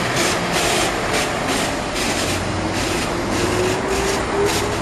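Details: Volvo B7L Wright Eclipse bus: rhythmic hissing bursts about two a second over the steady diesel drone; strange noise of unclear source.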